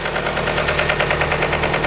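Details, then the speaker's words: 2003 Nissan 2.5L engine after timing chain and water pump work, oil level correct: rapid light ticking over steady idle from the top end near the cams; suspected camshaft contacting the valve cover. "It feels like and sounds like the cam is hitting the valve cover."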